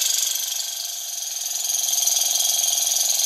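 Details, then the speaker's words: Small Stirling engine on alcohol burner with kitchen-towel wick, lower flame: fast light even whirring with fine steady ticking and drive belt squeak, picking up speed; running well. "It's running a little bit slower on the lower flame, but I think that's a good thing. Hear the drive belt squeak. It's picking up now."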